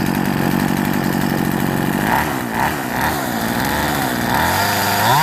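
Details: Poulan Woodshark 1950 chainsaw after fixing reversed fuel lines, replacing deteriorated fuel line and missing filter, cleaning carburetor: small two-stroke catches and runs with busy, buzzy note, revs wavering slightly but staying lit; runs properly.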